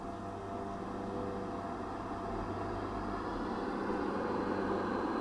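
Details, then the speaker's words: 1960 Sylvania Dualette tube TV powered up on a variac at 85 volts, 115 watts, B+ near 250 V, filter capacitor reforming, tubes warming: soft speaker hiss slowly swelling with faint low hum; electrolytic capacitors still bad. "let me go back to the other camera you can see our tubes getting hot we have static from the speaker"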